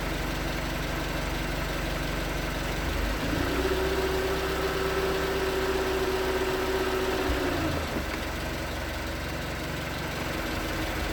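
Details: 2019 Hyundai Tucson 2.0L GDI Nu, 24,000 miles, on Mobil1 5W-20 with a NAPA filter under 1,500 miles old: light, steady knock, about four per second, at cold idle. Owner suspects piston slap, not confirmed; switching to 5W-30 only slightly improved it.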